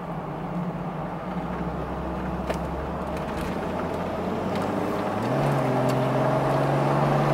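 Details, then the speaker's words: HDJ81 Land Cruiser automatic transmission: engine drone climbs then drops cleanly into higher gear with a firm step; shifts smooth without slipping, working normally now. "Like it's catching fine, and no problem. Shifting just like it should."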